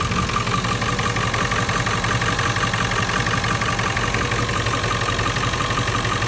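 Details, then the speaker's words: 1997 Ford F-350 7.3L Powerstroke diesel, 164,000 miles, idling after the alternator was replaced and the belt refitted: even clatter with a faint belt-drive whine and no chatter, running smooth. "nice already got the new alternator installed as you can see that's a lot quieter"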